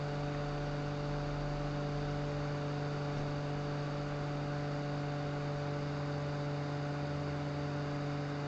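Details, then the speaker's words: G5 PC exhaust fan converted with a Zalman 92mm fan motor, voltage raised toward 12 V, roughly 3,000 rpm: strong, even air rush over a steady whirring tone, no ticking or wobble; fan spinning smoothly at full speed. "okay if you get close you can certainly hear it and as we get up to 12 you'll hear a real difference cuz it's it's push a lot of Earth these"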